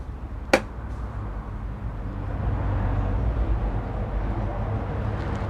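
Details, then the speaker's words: Imarflex desk fan that did nothing when plugged in, tested after its wires were rejoined and taped, before reassembly: even low hum with a steady drone and no rattles, scraping or speed hunting. The fan motor runs smoothly and works again. "ครับเพื่อนๆเพียงแค่นี้นะครับพัดลมเราก็กลับมาใช้งานได้แล้วครับ"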